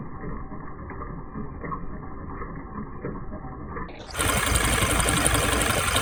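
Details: 2006 Mercedes Sprinter diesel running: quick, light ticking about four per second, fairly even, over the engine; recurring ticking fault whose cause isn't pinned down.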